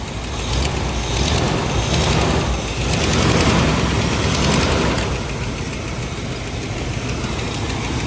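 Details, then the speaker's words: Dodge truck after water pump work, first start once everything is hooked back up: engine catches and settles into a steady, even idle with no knocks or squeals, checking for leaks. "Davey's going to fire it up now. Make sure we don't got any leaks or anything."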